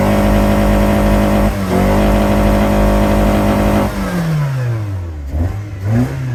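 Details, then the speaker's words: Car that sat since October and misfired, after cleaning plugs and Seafoam: held high rev stays steady then drops smoothly without stumbling or popping; now running well, normal. "God I love this car see God that smells lovely yep that's high mileage seafoam for you hey it's running good now"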